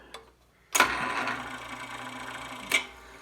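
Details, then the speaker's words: 1932 Westinghouse refrigerator, with its original horsehair cord replaced by an extension cord, being plugged in and switched on: a light click, then a steady low motor hum and fan whir, which the owner guesses is the compressor. It starts normally. "You hear it kicking on. You hear the fan spinning. I guess that's the compressor."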